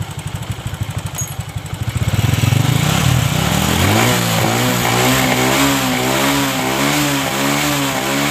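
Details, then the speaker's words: Honda Supra 125 after carburetor fix (shimmed float needle, set that way because of carburetor flooding, caused fuel starvation and bogging), air screw adjusted: even thumping idle then clean quick rev climb holding steady without stumble; running properly. "Di sini penyakitnya sepeda motor ini sudah sembuh karena tadi melepek-melepek ya akibat kekurangan bahan bakar."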